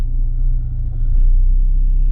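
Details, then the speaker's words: 2017 Ford Focus ST, stage 2 tune, just after installing a stiffer aftermarket rear engine mount: deep steady low rumble with faint fan hum at idle with A/C on, noticeably more vibration felt in the floor than before. "Oh yeah, okay. Hopefully the camera can pick up that noise. So that's significantly more vibration."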